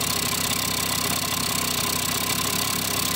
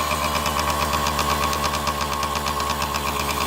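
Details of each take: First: Kawasaki KD80 two-stroke idling and still bleeding out oil: fast light rattle under the exhaust note; owner suspects crank bearings, unconfirmed, rattling noise at idle. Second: Kawasaki KD80 two-stroke, first run after oil system, carburetor and ignition short repair: crisp, even ring-ding popping at steady idle, no misses or rattles; running healthy.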